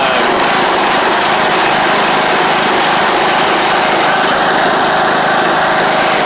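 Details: John Deere LA100 riding mower (5-speed transaxle), sat a long time with water in the tank and hard starting blamed on valves, now running off choke: steady, even single-cylinder buzz, no knocks or misses; runs normally, though the spark plug is suspected to have failed.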